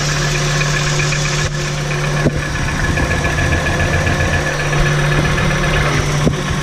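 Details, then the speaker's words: VW T4 2.5 AAF engine at steady idle with sharp knocks about once a second over the engine hum; knock persists after unplugging spark plug suppressor caps one by one, source not found; revs freely, fine above 3000 rpm, knock louder under load. "Ah, ça cogne toujours, hein."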